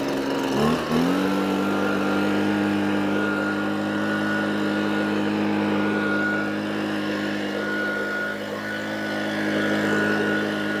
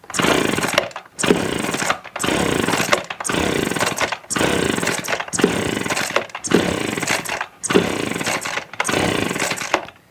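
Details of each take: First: Echo PB255-LN two-stroke leaf blower after no-start repair with carburetor replaced and coil gap set: catches after brief stumble, settles into clean steady buzz holding pitch; runs properly. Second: Echo PB255-LN leaf blower, no-start, choke on and primed, no air filter, wet plug: about nine recoil pulls, each just a whirring spin with no pop or catch; no spark, failed ignition coil.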